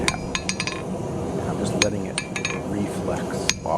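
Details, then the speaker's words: Vevor 110 lb (50 kg) single-horn cast steel anvil with heat-treated face, light hammer taps letting the hammer rebound; clear, high bell-like pings in fast bouncing runs with long ring, hard, good anvil face. "As you can see, it's bouncing really well. There's going to be a point here where it looks like I'm actually hammering really fast, and it's not me swinging fast, it's the hammer reflexing and bouncing back that fast. So you can hear the ping difference in the Vevor."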